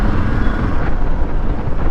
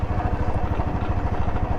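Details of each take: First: Royal Enfield Classic 350 while riding and accelerating after the rear axle was greased: smooth, even engine note, steady low rumble, no khat-khat knock or rattles; accelerating properly, noise gone. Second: Royal Enfield Classic 350 in neutral: a steady, quick khat-khat knock over the single-cylinder thump, like a nut rattling inside, after costly showroom work; the cause was a dry rear wheel axle that needed greasing.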